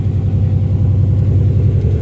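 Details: Subaru GC8/GF8 with swapped-in WRX engine, first run under its own power, idling in neutral: deep, loud, even exhaust burble with no skips or knocks. Check-engine code possibly from the unplugged rear O2 sensor, possibly a loose MAF connector, but it runs fine.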